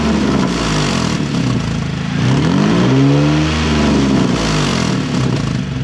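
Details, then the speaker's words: Nissan 350Z with Tomei titanium exhaust, engine warm, mic under the car: revving brings a raspy, puffing blat that grows with revs, an exhaust leak at the stock header flange, which is missing bolts. "So this flange just in here, where it's actually missing bolts. It's a good time. We're right under the car. You'll hear the leak now."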